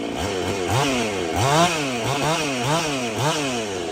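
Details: Husqvarna 55/51 hybrid two-stroke chainsaw, freshly started after work (decompression valve plugged): crisp quick throttle blips rising and falling cleanly, strong responsive pull without bogging; normal running.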